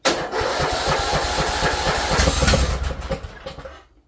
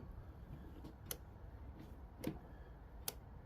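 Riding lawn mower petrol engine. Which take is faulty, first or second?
first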